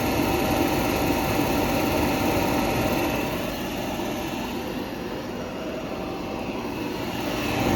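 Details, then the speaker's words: LG RC9011A1 clothes dryer motor (220 V, 60 Hz) run on the bench with door switch pressed, after its fan had melted lopsided from overheating and clogging, causing vibration; even whirring spin, faint regular pulse, no grinding or scraping: normal motor running. "আমি press করলাম, দেখেন এই মোটরটা ঘুরে, এই মোটরটা ঘুরতেছে।"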